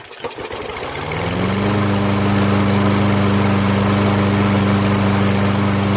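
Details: Toro Wheel Horse 1238XL lawn tractor after its slow-turning starter was replaced with a used newer-style starter: engine catches quickly and settles within two seconds into a steady, even run, no stumbling. Normal start and idle.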